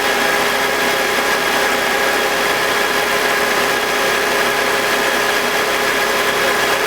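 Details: BMW E46 with M52TUB25 engine at idle, intake VANOS disconnected during a test of a suspected VANOS grinding noise (worse at startup): smooth, steady idle with no grinding and no RPM drop, a normal idle.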